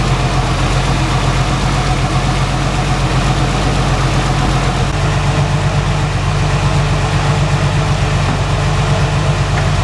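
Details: 1990 Jeep Cherokee idling right after a power steering pump replacement and belt retensioning, run to circulate fresh fluid: a smooth, low, even idle with a steady rumble and no knocks, whines or squeals. The engine is running healthy.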